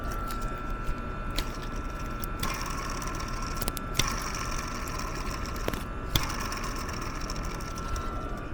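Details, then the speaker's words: Lower idler pulley spun by hand with belt off, mic at the pulley: rough rushing hum with scattered clicks from a worn bearing; customer complained of hum/grind when driving. "Okay, mic is going down to that lower idler pulley. Belt is not touching it, but you'll hear kind of like a clicking noise too."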